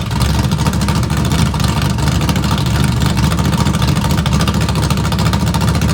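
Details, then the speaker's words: Small-block V8 Camaro, straight open headers with choppy cam, cold after sitting three weeks: loud lopey uneven idle, clean firing, no knocks; normal cam idle. "straight open header with this choppy Cam that has literally been sitting for three weeks"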